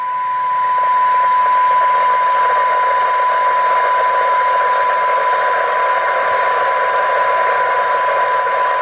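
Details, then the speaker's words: Rotel RVC-230 CB radio after FM detector peaking, 12 dB SINAD at 0.27 µV; clear test tone above light hiss still heard at 0.13 µV: normal weak-signal reception. "You can still hear that at 0.13 of a microvolt, so that's just wind the Squelch up. That's very good. These are excellent on receive, these radios, they are absolutely super."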